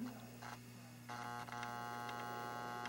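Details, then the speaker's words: Atari AR2 audio regulator board tested with a new speaker: a steady low buzz with even overtones and no input signal, louder after switch-on, and speaker two buzzes more than speaker one. Amplifier hum; the caps are being checked. "interesting yeah speaker two sounds different than speaker one more buzzing"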